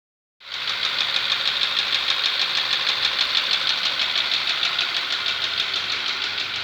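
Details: Skoda Superb, CDAB engine: sharp regular metallic ticking about three per second over the steady engine note; knock has been present for 7,000 km while the car still drives normally, cause unknown.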